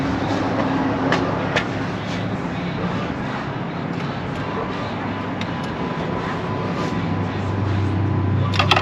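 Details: Chrysler after repair of a P0203 fuel injector circuit open code, system pressurized and checked for leaks: smooth, steady idle with a low even hum and no stumble or misfire.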